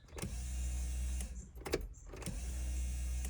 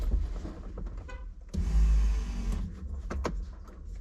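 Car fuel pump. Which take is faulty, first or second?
first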